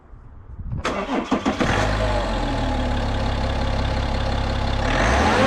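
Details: BMW F30/F31/F32 330d diesel, just after fitting a Pipercross aftermarket air filter and refitting the cover: quick crank, clean catch, smooth even diesel idle settling within a second or two, no knocks or misses; normal start and idle.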